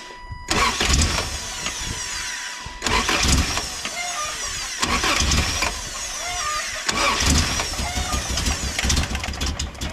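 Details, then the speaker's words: 1988 first-gen Toyota 4Runner after tightening a very loose alternator belt: several start attempts, then a shrill squeal that rises and falls with engine speed over the idle. Belt squeal; slipping alternator belt likely. "I tightened up the alternator belt, which is was very loose. Let's see if it still squeals real bad."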